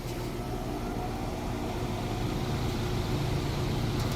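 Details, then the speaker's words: Brand-new Trane XR16 AC after fix: lines resized, hard-start capacitor fitted, compressor replaced, surge protector installed; low steady hum rising smoothly with no clanking or groaning; normal, quiet compressor startup. "nice and quiet startup so what happened was they had to uh update the lines put in a proper size lines for this unit"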